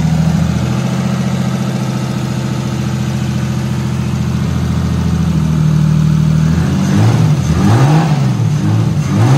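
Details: Nissan R34 Skyline RB25DET just after cam seal replacement and reassembly: steady, even idle with a smooth low hum, plus a few clean rev blips that rise and settle without stumbling. It started right up.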